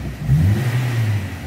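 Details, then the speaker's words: 2014 Renault Sandero 1.6 8-valve K7M, about 198,000 km, after misfire and low-rpm bucking fixed by replacing spark plug wires: throttle blip gives clean, instant, smooth response, no stumble or pop. "ó aceleração do Sandeiro Ó você pisa Ele já responde"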